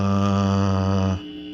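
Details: Original Asteroids Deluxe cocktail table, power-up on the bench: loud steady low buzz with rich overtones cutting out abruptly, suspected coming off the board; ground loop hum from bad ground.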